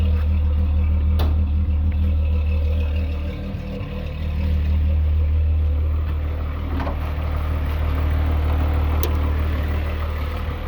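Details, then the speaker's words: VW VR6 2.8 12V after a complete engine rebuild, just started: steady even low idle hum with no knocks or misses; healthy engine. "Alright, got my car back. It's running pretty good."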